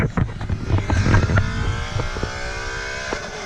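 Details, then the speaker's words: Pull to 130 km/h in 3rd gear (3.31 gear ratio), car fitted with GT350 axles: engine climbs hard then stutters in quick repeated cuts, bouncing off the rev limiter at 130. "Right at 130, as you can hear, it bounces off the rev limiter."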